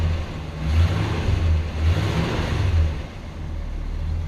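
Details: 1966 Ford Galaxie 500 convertible V8, running for the first time in 44 years, about two hours on it: deep, even burble with steady low rumble, no stumble; idling smoothly, though power brake booster has a vacuum leak and points arc slightly.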